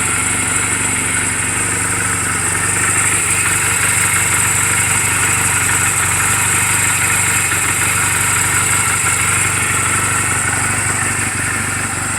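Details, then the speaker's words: Reference sound of a healthy 2007 Honda Rebel 250 and its valves, idling in neutral just after an oil change and valve clearance adjustment; even, regular beat with no ticks, knocks or misses. Mechanically sound, only cosmetic flaws. Normal idle. "so that's what I'm gonna give you what the motorcycle should sound like on what the valve should sound like to make sure you don't hear any it sounds like this this motorcycle is running perfectly"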